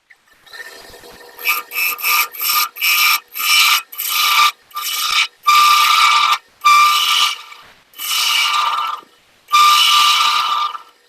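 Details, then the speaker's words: Wood lathe turning a thin madrone finial held in pin jaws; bursts of cutting over a groaning, resonating hum, from taking off too much material with a sharp tool, not pushing hard: lathe chatter resonance, the sound to avoid. "okay for those of you who are hearing that nice uh groaning resonating sound um that's what you're shooting for to not hear um i am not pushing hard on this tool"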